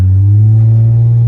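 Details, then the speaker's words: 2000 Honda Accord on first drive after swapping in a replacement automatic transmission: full throttle holds a high steady rev drone while barely moving before finally hooking up; transmission slipping on takeoff. "see how high the RPMs are and it's not really doing much I am Full Throttle right now and it's not going anywhere and see it finally hooks up and"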